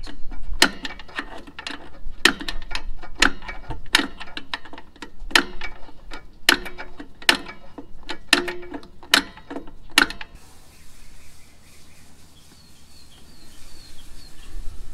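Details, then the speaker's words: Single-axle travel trailer wheel hand-spun after brake and bearing inspection, nut backed off three and a half threads and greased: light regular ticking scrape about twice a second, slowing; brake shoes lightly kissing the drum as intended. "you can hear it you can actually you can hear the shoes on the inside of that drum there that's about where I want to keep it"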